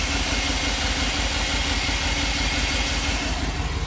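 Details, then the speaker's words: Conversion van engine with a long-standing bad misfire despite a new aluminum distributor, points, cap, rotor and computer: uneven idle with a stumbling, irregular beat roughly three times a second over a hissy background; misfire at idle, cause unknown. "it's had a really bad misfire for a while and um and i've replaced everything from brand new aluminum distributor to points to cap rotor"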